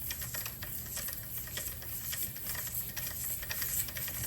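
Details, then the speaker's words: Corvette C6 Z06 drivetrain, torque tube removed: back bearing spun by hand gives dry, uneven ticking and gritty rattling; bad, rough bearing suspected. "Sounds like a bad bearing to me. I'm glad I took it out."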